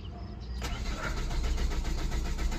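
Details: Chevrolet Captiva with no trouble codes; starter spins the engine with an even, steady rhythm but it never catches or picks up speed; cranks but won't start, airflow sensor live data examined.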